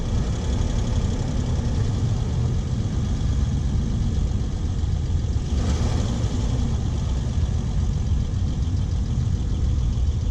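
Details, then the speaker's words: Steady low growling rumble from a 2008 Honda Accord on jack stands, heard through a pry bar on the left front bearing as the wheels speed up. Worn wheel bearing noise confirmed on that side. "speed up and the noise is definitely coming from this side here"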